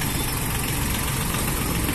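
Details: Mitsubishi MT221 four-wheel-drive diesel tractor with 1042 hours: short stretch of low, even diesel idle with a steady throb and no knocks or misses; sounds healthy.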